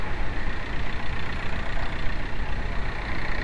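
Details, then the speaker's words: VW BEW TDI diesel at 100k km: steady idle with a low rumble and a faint constant whir over it. Loose, worn water pump. "no sorry, BEW 100k km loose water pump TDI (it does happen to them as well)"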